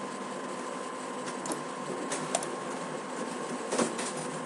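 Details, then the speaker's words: HP printer printing again after stopping and restarting the print service and reconnecting the printer: quiet room with soft mechanical whirs and light paper-feed clacks; printer running normally. "and there you go problem solved I don't know if you can hear my printer but it's now printing"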